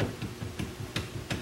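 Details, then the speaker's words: Polaris RZR driver's-side wheel with an aftermarket American Star bearing, about 400 miles after new bushings, ball joints, tie rod ends and steering rack. Rocking the wheel side to side gives dull clicks, and there is play both ways; suspected bad wheel bearing. "If I move it left to right, it definitely clicks, you know, more than the up and"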